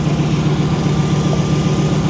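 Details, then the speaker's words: 1994 Pontiac Firebird Trans Am, idling after an out-of-gas no-start was cured with 5 gallons of fuel: smooth, even low rumble holding steady with no ticks, knocks or stumbles, a healthy idle. "Unreal, man. She sounds healthy. She sounds really, really healthy."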